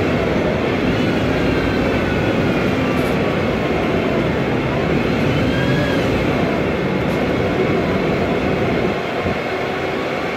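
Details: 2007 MAN Lion's Classic CNG city bus, MAN E2876 LUH03 EEV turbo engine, Voith DIWA 864.3 4-speed automatic, noisy Voith gearbox: faint high whine rising and falling with road speed over drivetrain rumble; transmission whine.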